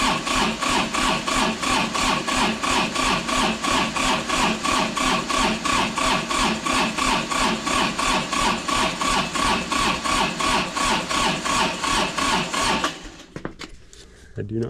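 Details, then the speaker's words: Kubota D905 diesel (Lincoln Ranger 300 welder) cold start on a chilly day after glow plugs, on a jump pack: labouring crank at about three pulses a second for thirteen seconds, never firing; jump pack too weak, jumper cables used next. "think it's going to have what it takes to get this done all right so the jump pack let us down"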